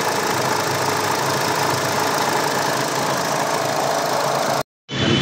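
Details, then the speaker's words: Hyundai Tucson CRDi diesel idling with air conditioning engaged: loud, busy clatter from a worn auto belt tensioner, worse under compressor load, before tensioner and belt replacement. "So ngayon napakalakas ng ingay. So mamaya pag napalitan natin ah tingnan natin yan. Pagka nag-engage yung aircon ang lakas ano yung tensioner gumaganito."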